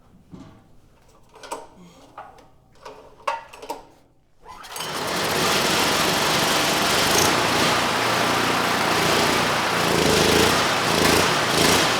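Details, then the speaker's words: Neglected, low-compression Generac GP5500 generator after correcting gasket order between engine, insulator and carburetor: fast busy run with slight rise and fall, much better but still surging lean, needs partial choke. "So this time still not perfect but much much better. You know, before I couldn't get rid of the surge even with the choke fully applied."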